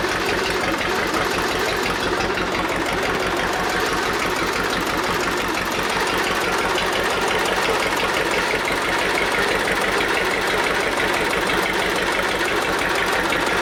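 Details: Old Detroit Diesel two-stroke four-cylinder dozer, once water-filled, with an uneven, loping beat near three a second and missing pulses. Compression is 150, 90, 0, 0, so two cylinders are dead, before the Bon Ami honing-while-running trick.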